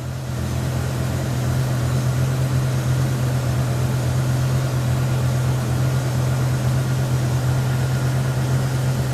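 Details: BMW E60 M5 rough idle: lumpy, uneven stumble about three times a second over low drone; OBD shows misfire codes P0300, P0301, P0302, P0305 for cylinders 1, 2, 5 and multiple.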